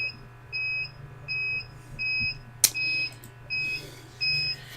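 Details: UPS with weakening batteries under heavy load: clean high double-pitched beep repeating about every 0.7 seconds over a low hum, warning its battery is running low.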